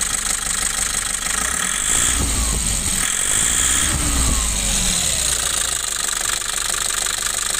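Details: Nissan Urvan Estate E25 diesel, FB/P7 injection timing problem: hard clatter just after starting, heavy uneven knock at idle that settles slightly; incorrect injection timing.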